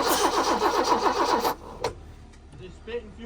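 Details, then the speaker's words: Abandoned BMW E30 with 10-year-old gas, cranking while checking for fuel at the line: starter spins evenly at nearly four turns a second for about 1.5 seconds but never fires; line is dry, no fuel delivery. "so is there no fuel no it's dry so it's a fuel issue"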